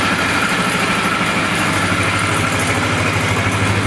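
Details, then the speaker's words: Flood-damaged Polaris 325 ATV engine, freed up and rebuilt with heavy oil on piston and rings, possibly some water left in bottom end, first start: steady single-cylinder idle with light rattle from the carburetor bracket; runs normal. "That rattling sound is just this this bracket that holds the carburetor. Sounds good."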